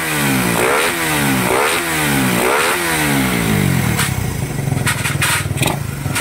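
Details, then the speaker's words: Raider 150 motorcycle after top-end refresh (old cam lobe damaged): starts and revs cleanly in rising and falling sweeps, settles to even idle without ticking or clatter; top end normal. "Ayan, kanina tahimik kasi patay makina eh. Kung ayaw mo nang maingay, patayin nyo lagi ang makina nyo, boss."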